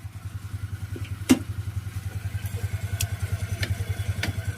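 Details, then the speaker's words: Rusi Flair scooter after repair of the CVT drive face rubbing the fan, fixed with an added screw, off the center stand and revved a little; even putter with no rubbing or scraping from the belt cover; CVT now quiet. "Wala naman na no? Okay na. Ayan oh. Tahimik na siya."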